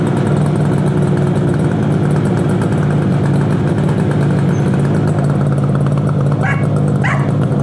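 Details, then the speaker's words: 1968 Yamaha YAS1C 125 two-stroke twin, carburettors cleaned, choke off: buzzy idle with a ragged, uneven beat, the right-side cylinder misfiring while the left is steady; runs better with choke on, suspected pilot circuit carburation fault. "see you can hear the difference this one is this one's steady so there's something going on on the right side"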